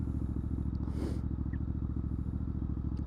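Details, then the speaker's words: Warmed-up Triumph Scrambler 900 fuel-injected twin riding along in a cold UK January: even, steady thump at constant pace with no misses or knocks; sounding lovely, normal running. "and she's sounding lovely"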